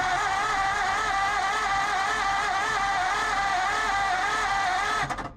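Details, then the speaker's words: 1947 Ford Coupe flathead V8, unstarted about 15 years, cranking on 12 volts before the spark check: even starter whir with a steady pulse about four a second, no catches; it turns over smoothly, though the starter may be strained on 12V. "Don't sound too bad. That starter might be a little bit angry, being running on 12 volts, but let's hook a jumper wire up to the coil and see if we got spark."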